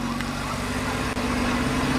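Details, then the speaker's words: Mazda RX-7 FD rotary after fitting Apexi Power FC to cure idle and 3k rpm backfire issues: smooth, even idle around 1,300–1,400 rpm just after start, steady low hum, no hunting or misfire; no smoke; normal idle. "the revs went a little bit higher than normal sounds good 1,300 RPM 1,400"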